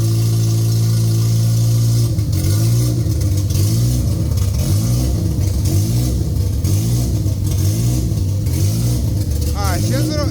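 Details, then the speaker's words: Honda Civic EM1 with a K20Z1 swap and a new DC5 Creations conversion harness on KPro, at its first run with the fuel pump jumped. A fast, high idle turning lumpy and choppy; the owner suspects a cam choppiness or an air leak, not yet confirmed. "Oh, you guys, that Civic is finally running on her own power. That's I just idle a little bit. It's a little high."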